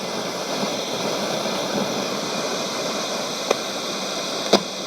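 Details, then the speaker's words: c.1989 Hitachi MS-W600W twin cassette boombox found in storage, switched to FM; steady hiss with no station and a few crackles, dirty noisy switches and controls, grime or fault suspected; radio static hiss. "We'll go to FM maybe. Alright, there's our FM hiss."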